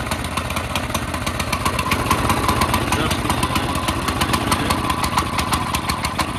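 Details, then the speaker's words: CT200U minibike single-cylinder on a stand after the Stage 1 kit and cone filter install: uneven, stumbling pops at a fast idle with heavy smoke and possible backfiring. Not running right, likely fuelling, not confirmed. "Oh, that didn't used to do that. That probably isn't running exactly right. Wow, that's a lot of smoke."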